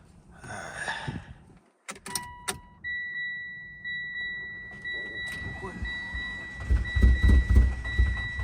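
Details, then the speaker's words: Mitsubishi Evo that died on the highway and won't start: chime, then fast, light cranking with weak, uneven puffs and no firing, indicating very low compression; owner suspects engine damage, others suggested jumped timing or fuel. Low compression when cranking. "You can hear the compression, very low compression, does not sound good at all."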